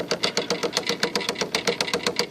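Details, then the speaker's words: IBM Selectric II correcting typewriter running: steady fast clacking with a dull thump about every eighth of a second in time with the mechanism; center hub cracked all the way through, and the machine also squeals and freezes. "all right you hear that that is the sound of a hub Center Hub gone bad that thumping sound"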